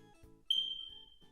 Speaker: if you ever hear the smoke alarm make a chirping sound that means that the battery needs to be replaced